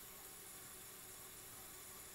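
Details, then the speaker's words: Ford 6.0 diesel, engine off with IPR energized, stethoscope at the PCV breather hole then under the valve cover: steady even hiss of escaping air, louder on the driver's side; high-pressure oil system leak (symptoms: crank no start, long crank). "sounds to me like it's coming more out of the driver's side so we're gonna pop that valve cover off and tear into it a little bit"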